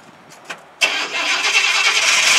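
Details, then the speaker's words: Elvis impersonator's pink Cadillac after exhaust work, cold start: quick crank, clean catch, then calm, even idle with no exhaust blowing or rasp; exhaust sealed, noticeably quieter than before. "look at that you just hear the motor and it's cold right"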